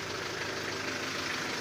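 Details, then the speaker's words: Car at idle after the AC compressor relay was rewired (pin 85 as a negative trigger to the switch, 86/30 to the battery, 87 to the compressor's yellow wire): a steady hiss and hum as the compressor load pulls in smoothly. The AC runs normally; pressure is being monitored. "So ayan, gumana, may ilaw yung relay. So good. Meaning doon bumubomba na rin."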